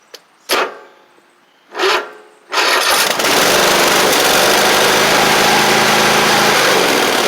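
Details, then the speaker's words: Cub Cadet Ultima ZT1 zero-turn, dirty, rusty, likely stored outside, with a bent deck and replaced blades: two short cranking bursts, then catches and settles into a steady, even drone, no misses or knocks. Normal running, not using oil or smoking. "And it runs fine. It's not using oil. It's not smoking."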